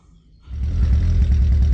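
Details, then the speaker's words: 2009 RenaultSport Twingo RS 133 with a worsening misfire, still present after new ignition coils and a new fuel pump: lumpy, uneven idle with dropped pulses and multiple misfire codes, spark plugs suspected. "no leaks but it's still misfiring so yeah something else is going going wrong could be spark plugs again"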